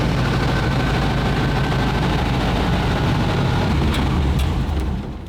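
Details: WWII German petrol vehicle that had some rancid fuel in its tank, non-standard electric fuel pump: fires readily and runs with a steady, even low beat before winding down; healthy start and clean running.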